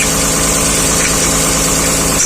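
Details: 2010 Dodge Journey: steady, even idle with a smooth low drone, no knocks, misses or rattles; sounds really healthy.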